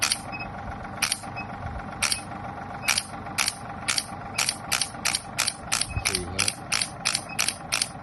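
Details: Shock wave therapy machine after repair of no sound, air or force when firing: crisp, sharp pneumatic shots about once a second speeding up toward the end; handpiece fires cleanly and evenly.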